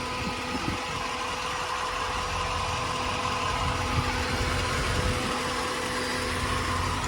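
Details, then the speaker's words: 1992 Corvette LT1 V8, 751 miles, stock exhaust: smooth steady idle with faint constant whirr of the air pumps, audible because of stock mufflers; everything normal. "when you got stock exhaust on these things, you notice those air pumps. If you got loud mufflers, you'll never hear them."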